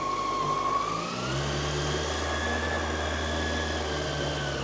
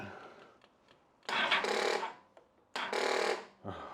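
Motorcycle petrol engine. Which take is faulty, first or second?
second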